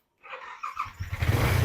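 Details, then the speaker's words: Yamaha R15 V3/V4 after starter bush replacement: short smooth self-start crank that fires within about a second, with none of the earlier clacking or grinding; starter now working normally. "Back self Menhi start हो गया self से कराक कराक का sound भी बिल्कुल नहीं आ रहा"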